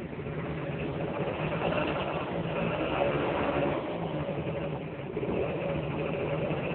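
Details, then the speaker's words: Honda Dio-2 50cc two-stroke scooter, stock piston, rings and bore, with HHO cell module fitted: raspy, even buzz steady with light throttle blips, no misses or knocks; engine seems more aggressive; normal idle and revving. "we tested it earlier and it runs very well engine seems a little bit more aggressive"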